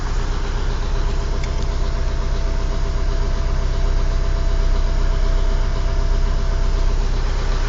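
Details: Warm engine restarted after standing, idling: dull, fairly regular knock about two to three beats a second over a deep steady idle; engine knock, cause not found.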